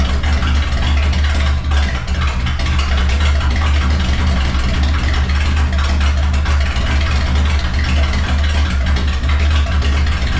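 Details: Vehicle started after sitting about one to two months, open pipes with no mufflers: deep, loud, steady idle rumble with an even beat and no misses; runs smoothly, just loud; normal idle.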